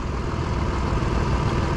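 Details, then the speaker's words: 2004 Mitsubishi Montero after no-start diagnosis, not fully at operating temperature, idling around 810–840 rpm per meter; low even rumble with no knocks, ticks or misfire: normal idle. "now we are at about 1,000 RPMs a little bit less than 1,000 RPMs it's not 100% operating temperature yeah and the RPMs are according to my meter 820 810"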